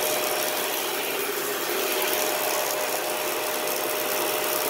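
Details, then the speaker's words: 2013 Dyson DC41 Animal Complete upright vacuum, bought used; loud steady roar with a thin constant whine on top; the brush roll noise is still happening and the brush roll must be taken apart and cleaned again. "so the brushful noise that i commented on is still happening so now we gotta pull this thing apart again and clean out the brush roll again"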